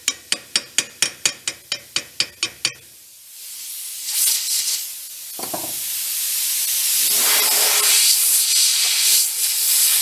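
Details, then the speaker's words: Plasma cutting a broken exhaust manifold stud: a burst of about a dozen quick, even ticks, then a long building hiss; the cut is weak and sluggish and won't go all the way through. Owner thinks the tip is worn, its orifice enlarged; needs changing. "The tip, I think, is gone on the plasma cutter. I've got to change it out. Once the orifice gets a little too large, the speed slows down. You can hear the torch wheels turning on and turning off, not kind of making it all the way through."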